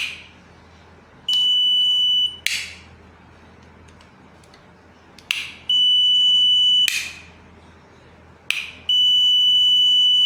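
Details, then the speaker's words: Multimeter on continuity mode testing a switch: three steady, high buzzes about a second long, each as the switch is turned on; continuity good, switch works. "जैसा कि आप देख रहे हैं, जैसे मैं on कर रहा हूँ इसमें एक बजर की आवाज़ आ रही है, आप फिर से देख लीजिए।"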